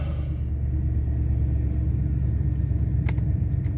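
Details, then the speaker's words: 2003 Ford Expedition 5.4 V8 after replacing the idle air control valve: deep even rumble, steady beat, no misses, settled at a normal idle around 800 rpm, previously stuck above 2000 rpm; still hard starting. "idle is back down to about where it should be sounds about 800 rpms so that's good"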